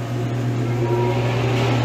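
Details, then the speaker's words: Reach-in dairy case evaporator fan, no longer hitting anything, with plenty of clearance and a frosted coil, running during a hot pull-down: smooth steady low hum, even airflow, no ticking or blade strikes; fan spinning freely. "fan's not hitting nothing now and it's plenty of clearance"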